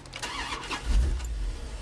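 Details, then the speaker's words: Woodgas-powered vehicle restarted after shutdown with no gasoline, air stops set rich with one half shut: short crank, then the engine catches and settles into a steady low idle without stumbling, plenty of gas. "okay there it goes we're set to go again that's running well see it's got plenty of gas behind it"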